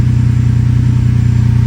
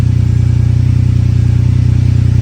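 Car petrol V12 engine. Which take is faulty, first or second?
second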